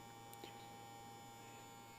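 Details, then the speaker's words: Vibrator-powered push-pull amplifier on a 13 V input, warmed up, heard at the loudspeaker: steady low hum with no buzz building up and a faint static crackle from the vibrator points making uneven contact; it idles quietly and normally. "there is no bus no hum or anything but you can hear a little bit of static in the background which is the vibrator points making uneven contact"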